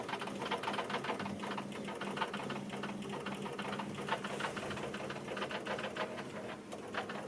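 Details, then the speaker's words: 2013 Chevy Silverado no-start on booster: fast steady chatter of light clicks, no cranking, from starter and powertrain relays; grounds checked good, owner suspects a short or starter, unconfirmed. "these two were clicking like crazy which is starter and powertrain there's a short somewhere but i don't know where"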